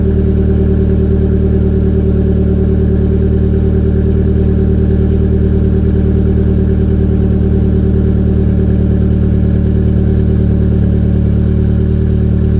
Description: My EW10J4 RFN engine has the typical feature of some PSA EW engines: Tight valve lifters. When the engine is cold, idle is very rough.